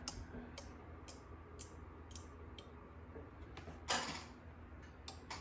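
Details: Microcontroller-driven relay board switching solenoid valves on a test breadboard: crisp relay clicks evenly about twice a second over a faint hum, one louder clack; relays switching normally.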